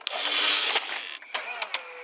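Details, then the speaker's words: Toshiba M-3285C/M-3286C VCR with a replacement pinch roller, tape playing: light whirring with a few clicks and a faint steady tone. Owner considers this motor noise normal for the model and quieter than his Toshiba Z 2060. Normal transport noise. "so on my toshiba z 2060 the this motor was very noisy and on this video is noisy too but it's less noisy i think this is normal i think on all these sociable desires have a model that does that noise"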